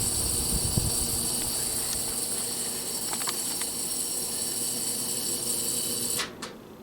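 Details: GE W22 box fan on low speed: steady electrical buzz from the motor, absent on medium and high; long thought a bearing issue, actual cause a loose shaded-pole coil.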